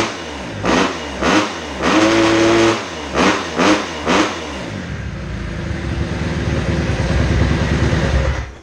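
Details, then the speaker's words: 2010 Kawasaki KX250F after the fault was fixed: a few crisp throttle blips fall back cleanly, then a steady, even run with no ticking or misfire; healthy. "Bon, bah voilà, impec, il n'y a plus qu'à voir ce que ça donne sur le terrain."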